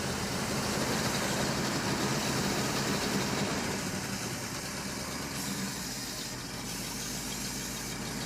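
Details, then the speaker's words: 1967 Ford F-250 4x4 gives an even idle, a steady lope of about four pulses a second, with no knocks or stumbles. Fuel pump running and accelerator pump working; shut off before overheating, ahead of a compression test. Idling fine. "so far so good I'm going to say it's good yeah I think it's all right all right shut it off so it doesn't get too hot"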